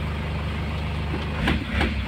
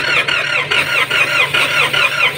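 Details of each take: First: Nissan Patrol ZD30 diesel with low compression, oil poured into the intake to get it running, no check-engine light: low steady diesel rumble at an even idle around 700 rpm, no knocking or hunting; running normally. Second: Nissan Patrol ZD30 diesel with no compression, hot and cranked without glow-plug heat (heater not working): steady fast starter whirr with even cranking pulses, no firing. Hard cranking from low compression; it later started after oil was added.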